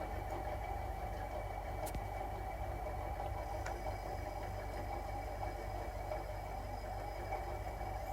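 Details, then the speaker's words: Polytron refrigerator compressor, not-cooling repair, now running with a steady low hum and faint even whine, no clicking, stalling or cycling; normal compressor running. "Oke, dan di sini untuk kompresor sudah hidup ya."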